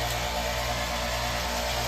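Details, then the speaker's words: Amana AC outdoor unit starting to freeze up: steady low compressor hum with faint hiss but no fan whoosh, condenser fan not running; usually a bad fan capacitor. "You can hear the compressor running, but the fan isn't running."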